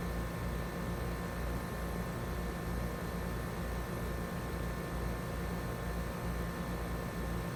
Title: My 2 trane XR14 heat pumps startup & shutdown in heat mode